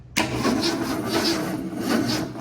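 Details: 1966 Ford Mustang with a new ground and starter cable: steady, even whirring crank with a regular compression pulse and no clicking or grinding; the starter spins the engine over freely without firing.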